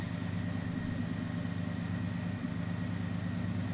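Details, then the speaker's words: 5.2-litre V8, Seafoam just poured into the crankcase and not yet warmed up, at steady idle: low even burble with no knocks; a brief tick was heard at startup, then it stopped. Runs smoothly. "Yeah, Steuart, you guys heard it. Yep. Yep. It sounds nice. Is it a V8? Yeah, dude."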